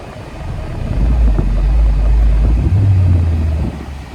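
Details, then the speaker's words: Audi A4 put in reverse: engine swells and holds a steady revving drone with no change as it would under load; reverse does not engage and the car won't move back, transmission failed. "that's the problem guys I'm in Reverse I'm in Reverse this is the reason why you guys want to come check out these cars Prime reason you want to come check out these cars you guys transmission full service now yep that transmission is gone can't even move the car back unfortunately"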